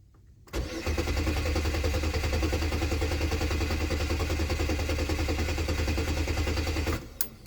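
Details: 2002 Chevy Malibu: steady rhythmic starter churn about six seconds, turning over evenly but never catching; crank-no-start, no related codes, crank sensor shows about 200 rpm signal, so crank sensor likely fine.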